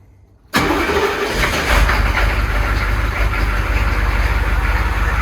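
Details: Humvee (HMMWV) diesel with failed mechanical lift pump leaking fuel from vent lines: hard starting, warm not cold, needs throttle to crank even after glow plugs; fires abruptly and settles into slightly uneven, lumpy idle.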